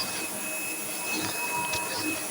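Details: Sebo X7 vacuum with an 890 W motor, after rebuild and repair: steady, even high-pitched motor whine with a constant airflow rush and no surging or rattles; runs healthy.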